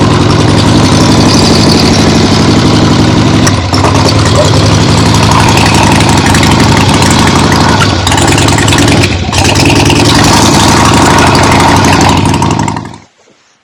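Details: 1975 Harley-Davidson XLH Ironhead Sportster after full rebuild, first short test ride around the block on temporary lawnmower gas tank: loud, lumpy V-twin rumble through open pipes, steady and even, no knocking; carb farts probably adjusted out once warm; engine healthy.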